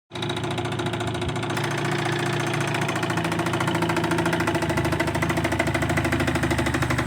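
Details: 2002 Tracker 25 hp outboard: it fires up and idles with a steady rattling tick over the engine beat, about three a second. Abnormal engine noise of unknown source.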